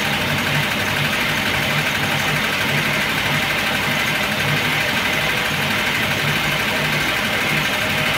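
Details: Engine warmed to full operating temperature after sitting a day and a half, hot idle with a dull, loose knock under a hissy engine note; oil pressure lamp flickers when hot; heavily worn camshaft rattling in its bed.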